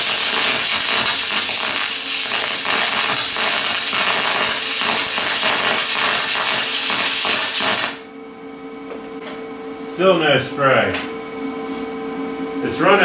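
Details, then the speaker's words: Lincoln 210MP MIG welder, wire feed raised to 423 then 500 in/min: dense, steady, fast crackling arc sizzle, no smooth spray hiss; still short-circuiting, no spray transfer. "no uh no spray transfer yet um 500 see what happens still short circu in maybe just 3 397 s"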